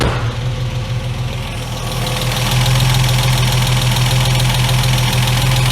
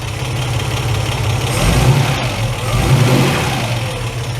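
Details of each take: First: MK1 Ford Capri 3.0 Essex V6 manual that sat for 8 years, first run after carburetor work, started on cold-start spray in the carburetor and still warming. It settles into a steady, even idle; spraying for air leaks gives no change in engine speed. Normal idle. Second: Ford Capri Mk1 3.0 GXL Essex V6, manual, sat 8 years, first run with fresh fuel and oil, cold and just off choke: idling with slight uneven stumbles and small speed dips, mild splutter; might improve when warm.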